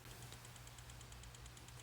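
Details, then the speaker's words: BMW E46 with S62 V8 swap, after coding the DSC MK20 module: fast, even ticking about ten clicks per second over a low hum as the DSC module cycles when the DSC button is pressed; normal. "Now, whenever I tap this button, I can audibly hear the DSSE module clicking out there."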